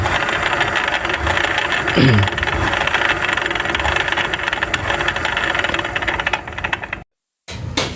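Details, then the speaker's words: Yamaha Fino scooter with a rough, crunchy rattle from the rear final drive at 30-40 km/h, from worn ratio gears and bearings; pulley bearing also suspected; gearbox seal and gasket leaking oil. "Nah ini ada suara dari bagian ini bisa dari bagian gardan ya rasio karena kan Ini motor pada saat saya coba lari 40 atau 30 itu ada suara New York ya itu biasanya sih di gigi rasionya udah kemakan"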